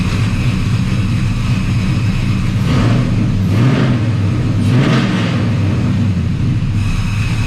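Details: Squarebody Chevy C10 V8 with new Holley Terminator X EFI, first run: deep lumpy rumble settling to a steady idle with a couple of clean throttle blips; runs even, healthy.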